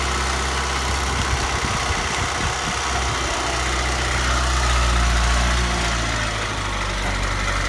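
Steady idle with a light fast rattle riding over it, about four beats a second, swelling a little as revs rise; source not pinned down.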